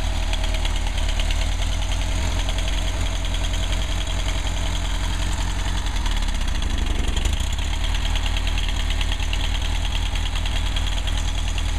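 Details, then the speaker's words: Freshly tuned 1959 Mercedes 190c petrol engine idling smoothly and evenly with a light, harmless click over steady throb; timing set at 38 degrees maximum total advance, temperature stabilizing as thermostat opens. "nice idle sounds good sounds good yeah got a little click click click let's see exactly yeah that's all right"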